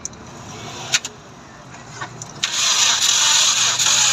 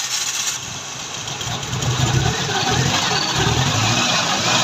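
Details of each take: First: 16-valve engine cranking with a few short bursts, then an even beat that never catches; the valves are bent, so no start. Misfire if it runs. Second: 16-valve engine with a starting problem, started after timing marks were realigned and front belt refitted: catches cleanly and settles to a steady idle with light throttle blips, no knocks or misses; healthy running.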